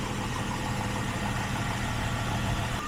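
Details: 2001 Jeep Grand Cherokee WJ 4.0 inline-6 after a water pump replacement, idling at operating temperature: steady, even low idle with a smooth hum and no knocks or misses; running normally.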